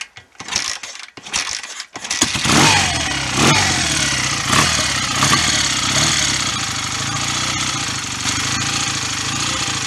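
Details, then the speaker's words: BSA A65 twin restarted after a top-end rebuild with new rings; tick-over may need resetting after earlier plug fouling and likely compression loss: a few stumbling catches, then a steady, lumpy, even tick-over; normal idle. "Now I've got decent rings in there. I might have to set the tick over up again, because I was chasing a tick over before with the plugs fouling and probably a slight loss of compression too."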